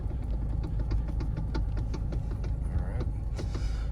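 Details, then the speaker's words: Toyota with electronic power steering, heard while driving: dull metallic knocks in irregular bursts over road rumble, worse over bumps and when turning, from two gears meeting metal to metal where the rubber bushing between them has deteriorated; steering column knock. "What this sound is is metal to metal two little gears. There's supposed to be a rubber bushing or a plastic bushing in between those that after some time they deteriorate."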